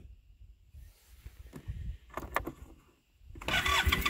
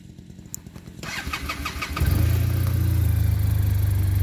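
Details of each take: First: Arctic Cat Norseman sled after sitting overnight, with fresh gas and Sea Foam, so not a gas issue. The starter churns in uneven bursts after rerunning the pump, with no firing. Owner suspects a slow vacuum leak draining fuel from the cylinder, or the fuel pump. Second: Arctic Cat Norseman sled after foam was fitted. It cranks a few times, catches, and idles evenly. The normal engine shake remains, but the rattle is gone.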